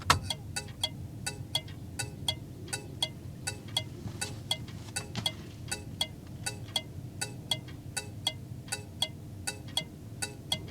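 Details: 1981 vehicle's factory Tung-Sol 224 thermal turn signal flasher relay, mic up close: crisp even clicks about 80 per minute, working normally, compared with HM 552 flashers.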